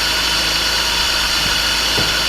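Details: 2000 BMW E36 318ti Compact at first start after a swap to an M52tuB28 2.8 Double Vanos inline-six. Steady, even idle with a smooth hiss, no knocks, misses or ticks. Normal idle.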